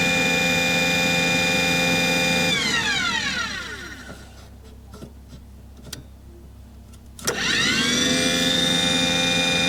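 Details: Aquahot 400D RV diesel boiler: the burner fan motor whines steadily, winds down and spins back up with no flame rumble or smoke. There is no raw fuel smell. Fails to ignite.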